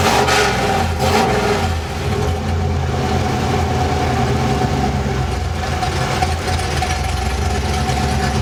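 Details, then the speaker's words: 383 stroker small-block Chevy V8 with Holley Sniper EFI, mild pump-gas build for a 4x4 truck, idling on the dyno near 900 rpm: lumpy, loping cammed idle, steady with no knocks or misses; healthy. "sounds pretty good undeniable the sound of a nice cammed small block Chevy just a classic Hot Rod sound"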